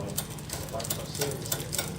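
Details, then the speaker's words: Bicycle rear derailleur in 8th of 10 gears with the barrel adjuster deliberately over-tensioned. Light irregular ticking over the chain whir as the chain tries to jump to the next cog: clicking chain from excess shifter cable tension. "now we have a clicky chain it's wanting to engage gear number we'll say this is actually gear number eight um out of ten but it's wanting to jump up to the to that third cog"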